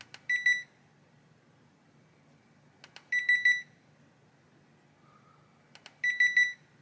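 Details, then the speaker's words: Hisense air conditioner indoor unit board on the bench, powered in cold mode: bursts of quick beeps every few seconds from an otherwise quiet board as it switches itself off, traced to missing fan motor feedback. "بورڈ ٹھیک ہے یہ بند ہو گیا میں اسے دوبارہ آن کرنے جا رہا ہوں آئیے دیکھتے ہیں کیا ہوتا ہے یہ خود ہی بند ہو جاتا ہے"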